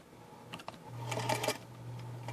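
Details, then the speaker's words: Old cleaned-up Singer sewing machine run by its floor pedal: soft whir with a few light clicks, then a steady even hum; the machine runs just fine. "it seems to run just fine. So you got a little tension there for when it goes over the cloth."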